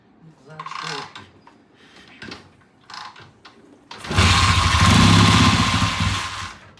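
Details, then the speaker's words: 1970 Triumph motorcycle, hard starting after a long lay-up, idle screw turned in half a turn, wants a lot of gas; revs climb unevenly and sag back, running rough and unsettled; carburetor float later sticks and floods fuel. "she wants a lot of gas wants a lot of gas to get started it's going up yeah it's just needing to get back into the back into the mode of being a motorcycle yeah"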